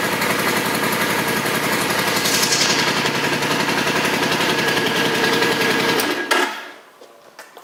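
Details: 2005 Suzuki Boulevard M50 with stock pipes, 17,408 miles: even, loping twin-cylinder idle with steady pulses and no misfire or tapping until switched off; runs healthy.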